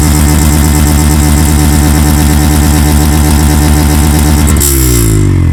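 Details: Yamaha FZ-X revved gradually and gently: strong steady engine note rising with throttle then dropping as revs fall, clean even exhaust, nothing abnormal; normal revving.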